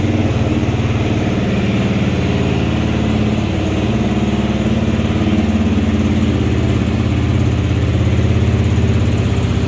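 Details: 2022–2023 Kawasaki KLR650, single cylinder, started in the 30s °F after sitting a couple of weeks; even, low thump at a steady idle, no misses or ticks; starts and idles normally.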